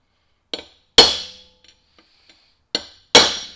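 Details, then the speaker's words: Mack Cruiseliner right front hub, bearing race hammered in with a chisel: four sharp, ringing blows that die away quickly with no dull thud; sounds solid, race driven fully home. "Oh yeah, that's solid. Down. Okay."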